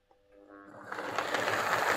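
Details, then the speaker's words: Lima L201645 Class 55 Deltic 9006 model locomotive after filing rough marks off the plastic gears: the motor spins up into a light, even whirr with no catching or grinding, running much quieter; normal smooth running. "oh that's a lot better [Applause] so that's certainly running an awful lot quieter um i think filing those gears down has been the the secret there to getting this running quiet"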